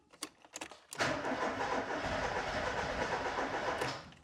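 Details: Ford Escort Cabrio XR3i after injector cleaning and new injector seals, engine not getting fuel: a few clicks, then about three seconds of fast, even cranking that nearly fires but never runs. This is a crank-no-start; fuel pump relay is to be tried next, cause not confirmed.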